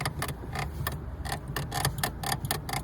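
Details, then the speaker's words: Lada Granta clutch pedal after spraying silicone lubricant: short uneven squeaky chirps as the pedal is worked, much quieter than before but still squeaking. "Да здесь скрипто ушёл смотрите вы слышали что было до этого А сейчас что Ну вот тут чуть-чуть есть ещё но гораздо тише стало"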